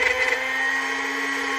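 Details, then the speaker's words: Trim router with a bearing-guided straight cutting bit following a template edge, switched on and brought in: steady high-pitched motor whine at constant pitch, no knocks or rattles; normal running. "and this bearing will right around this edge of our template right here stopping the router from going in turn it on again you bring it in and"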